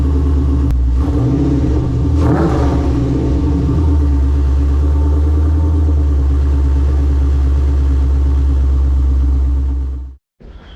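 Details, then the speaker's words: Nissan 350Z (LS-swapped) after fitting a new exhaust, mounted solid with no noises: a couple of sharp blips settle into a deep, even, throaty idle with no rattles or drones; healthy exhaust note. "so the exhaust sounds really good"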